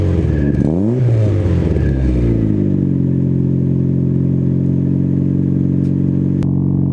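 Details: Newly installed Spelab muffler (2.5-inch inlet) with fiber packing still breaking in: a quick throttle blip settles into a steady, even idle rumble with no buzz or rattle; the exhaust sounds healthy.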